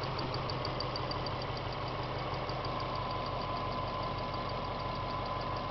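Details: 1998 Subaru GT, engine hot after revving: steady warm idle with faint, evenly spaced light ticking over the engine hum; abnormal noise, source unconfirmed.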